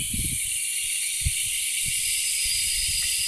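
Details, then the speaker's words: Engine after major work, cylinder leak-down with 100 psi compressed air, valves closed, crank held: steady high hiss with light bumps; air crossing between cylinders 3 and 4, blown head gasket. "okay so at this point with our valves completely closed I am filling the cylinder with compressed air and I can already hear that there is cross contamination between cylinder 3 and four"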